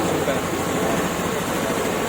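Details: Honda Activa 3G scooter after half-engine rebuild with new piston rings, gudgeon pin and locks, original timing chain kept: first start shows even settled idle, steady hum, no tapping or misses; runs smoothly.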